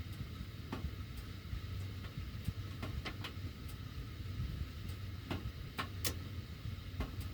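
Sharp, irregular ticks and clicks every half second or so over a low blower rumble; the ducts are ticking while the heat runs.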